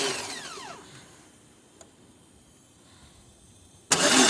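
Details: 2002 Pontiac Grand Am that only starts after about 6 to 7 tries: starter whirs and winds down without the engine catching, goes quiet, then cranks again; long crank, no start.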